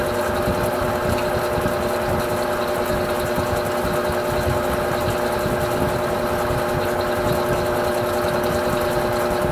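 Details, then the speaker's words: Electrolux Silent Control 12 kg (LAC12) washer, Normal program with Silent Cycle function, load of light clothes, advanced to spin; steady constant whirring motor hum, no knocking, banging or grinding, normal spin cycle. "vou até centrifugação e agora então vou deixar ela fazer a centrifugação"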